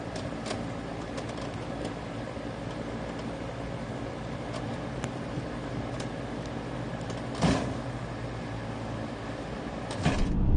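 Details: Goodman heat pump outdoor unit, low steady hum with light repeated ticking and a couple of heavy loud clunks; cause suspected, not confirmed.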